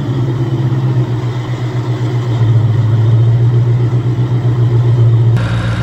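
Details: Supercharged Coyote V8 Ford Fairmont on dyno, about 900 rear-wheel hp, new Magnafuel 750 pump on boost-referenced return fuel system: deep steady roar under heavy load, even with no misfire or stumble; plenty of fuel, normal full-throttle run.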